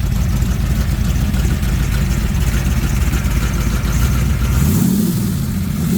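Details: 1996 ERA 1965 Cobra replica, rebuilt big-block V8 with new Holley vacuum-secondary carb, distributor, ceramic-coated side pipes; deep burbling rumble climbing sharply in quick blips, firing even and clean; normal healthy revving.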